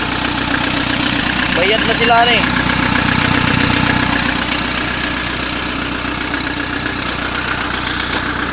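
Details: Kia Bongo 3 diesel after hard-starting problem solved, injector work mentioned: idles evenly with a steady clatter, no stumbling or misfire; healthy idle.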